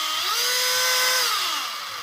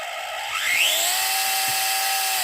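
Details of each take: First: FLY Renault 5 Turbo 1/32 slot car after lapping crown and pinion gears with toothpaste, run at low setting: clean high motor whine rising and falling with throttle, no grinding or sticking; drivetrain now much smoother. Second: FLY Renault 5 Turbo 1/32 slot car before repair, power increased: thin motor whine climbing then sagging with gritty rasp, binding and sticking; crown and pinion gear mesh too tight.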